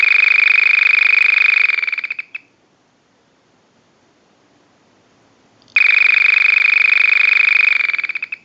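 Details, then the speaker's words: Vintage early-model Frog telephone, original factory ring cycle sent from an analyzer, ring-control capacitor removed from the board; fast high-pitched warbling chirp in about two-second bursts with three-second gaps, tweeter-like, original ringer working as built. "To get back to the ring cycle control capacitor for what the audio sounds like on a ring cycle, it just chirps like some of the smaller telephones do. So it's pretty typical, and it doesn't sound like a frog."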